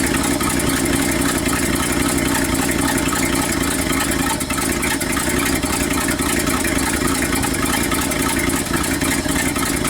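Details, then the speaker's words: 1969 Ford F250 360 V8, first run after a Motorcraft 2100 carburetor rebuild, manual choke, before warm-up: rough, uneven burble with no steady beat at idle; running but needs carburetor tuning and jet adjustment. "okay guys it's running but it needs to be uh a little bit tuning"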